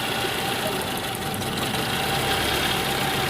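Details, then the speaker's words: Toyota Camry (2010–2022 range) petrol engine idling unevenly with a lumpy beat as cylinders miss; two plugs firing properly, the two rear ones misfiring; engine also burning oil. "ये दो पलक सही कम कर रहे हैं ये दो वाल इसके पीछे वाले यानी की मिसिंग कर रहे हैं ठीक है"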